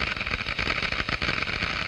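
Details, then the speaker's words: Water flowing through a glass venturi throat boils at room temperature; dense crackling hiss with rapid sharp pops as vapor bubbles collapse entering higher pressure in the diffuser; cavitation noise. "The noise is generated by the collapse of these bubbles as they move into the higher pressure in the diffuser."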